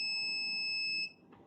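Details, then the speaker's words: Multimeter gives a steady continuity beep at zero ohms on a laptop motherboard's 3.3 V rail at the controller capacitors: the rail is shorted to ground after the second MOSFET; the board was ultimately found to have a dead PCH inside the processor. "so clearly we do have a shot our 3.3 is shorted and that is the reason why we don't have we have short to ground after the second mosfet"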